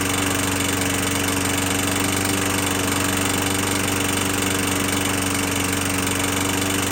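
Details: 21-inch Murray 125cc push mower after valve adjustment, oil showing metal sheen: harsh, uneven running with coarse knocking pulse about four times a second under constant drone; owner suspects internal damage, possibly from running without breather cover.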